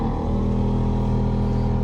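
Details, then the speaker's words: 1992 Ford F-150 Flareside heater blower motor running: constant droning hum with a rough low rumble, worse over bumps, something loose inside; worn, noisy blower motor to be replaced. "today I'm going to be replacing the blower motor in my 1992 Ford F-150 and that's because of some excessive noise when the Fan's"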